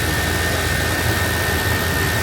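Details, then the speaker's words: Old GMC squarebody truck after tightening a leak behind the belt tensioner: steady, even engine run with a smooth rush and no knocks, ticks or rattles; a whole lot quieter, sounds healthy. "As you can hear, whole lot quieter. Just burning along. Nice."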